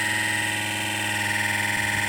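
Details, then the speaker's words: Car heater blower fan running loudly, steady drone with thin high whistle; fan rubbing on its worn mount, wear on the bolt that nearly holed the heater radiator; caught in time. "такий звук трішки вона десь голосно працює будемо змащувати там або забирати якийсь листочок або щось попало подивлюся що там сталося"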